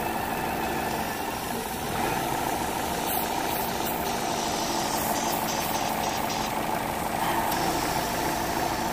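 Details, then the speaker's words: 2010 Vauxhall/Opel Astra J 1.6, P0171 and P0106, running lean, near 90 °C running temperature: warm idle surging with a steady airy hiss from a massive vacuum leak at the crankcase breather with a split diaphragm; covering it changes the running. "I don't know if he can hear this vacuum leak there's a massive leak can you hear it so the leak is right there look what happens when I cover it"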